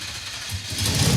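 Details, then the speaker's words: Mid-engine Mazda minitruck (Mazdarati 2.0) V8, fuel pump just grounded: brief low churning crank swelling into uneven firing pulses as it catches and runs. "That wants to run. It runs!"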